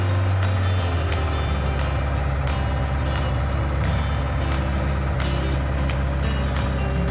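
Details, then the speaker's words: 1988 Suzuki GSX1100F Katana idling after running a while, idle turned down, steady even low rumble with no knocks, misses or rattles; condensation from exhaust; normal healthy idle. "Get that idle down a little bit, now that it's run for a bit. That sounds pretty good."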